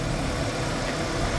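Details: Used BMW E46 petrol engine idling after repair (valve cover gasket, spark plugs, three front pulleys, belt, throttle body cleaning): steady low hum, the earlier squeal and cylinder misfire gone.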